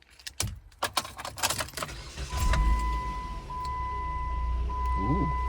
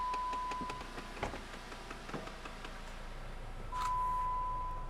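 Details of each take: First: 2014 Jeep Compass after replacing the faulty heater actuator that had been knocking: keys rattle, a chime sounds, then the blower runs up smooth and steady with no knocking or clicking from the heater box. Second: 2014 Jeep Compass: rapid ticking and knocking under the dashboard, about four a second, whether running or parked and turned off for hours, from a faulty HVAC heater blend door actuator stuck cycling.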